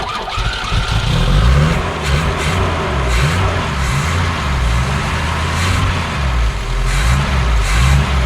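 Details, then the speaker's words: BMW 2002 sitting since about 2006–2008, fogging oil in cylinders, first start: runs smooth with hardly any smoke but idles fast with slight rise and fall because the throttle linkage is tight and sticking; may need warm-up. "it's running fine idle's a little high but that's because the throttle is kind of stuck the throttle linkage is still very tight but we'll work on that"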